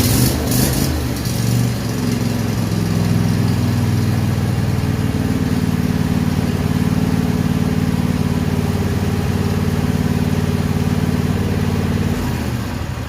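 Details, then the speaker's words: Cub Cadet mower with a 24hp Kohler twin, run just after an oil, filter and spark plug change: a steady, even drone with no knocking, misfire or surging before shutoff; runs normally. "All right, guys, we're going to fire it up, make sure we don't blow the bottom end out of it, and see how it runs."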